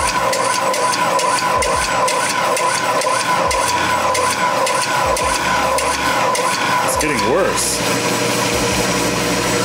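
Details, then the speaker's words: Ellis 1600 band saw, new, on a probably 50-foot extension cord at startup: steady motor hum swelling and sagging about twice a second; motor pulsing, improves once running and with use; motor later replaced. "that's what it's doing once it's going it runs fine and then once you restart it problem's not nearly as bad and it gets kind of progressively better as you use the saw"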